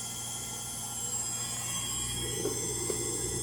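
A steady high whirring roar with a low rumble underneath during the fast spin points to worn motor bearings.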